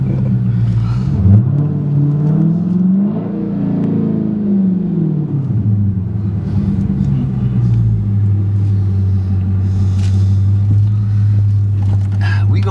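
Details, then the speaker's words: Hellcat Challenger manual with a mechanically failed pressure plate damaging the clutch and flywheel; the engine flares to about 3,500 rpm before the clutch engages, in every gear, a slipping clutch. "but I'm tell you right now that we're definitely talking clutch issue right there so even when you change the gear it does the same thing high rpms"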